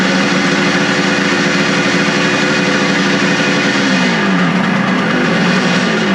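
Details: Suzuki two-stroke after second carburetor cleaning, number 2 cylinder previously found rusty: runs a few seconds, then beat sags and slows as if dying; owner suspects idle throttle adjustment set too low, possibly out of fuel; engine stalling at idle.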